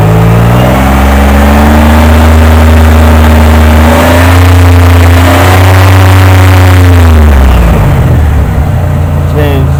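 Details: 1998 Oldsmobile Delta 88, cylinder 3 misfire code despite new plugs, wires and coil packs: the engine revs up and holds with a slightly uneven, stumbling skip through the rise; cause not found, coil pack for number three later changed.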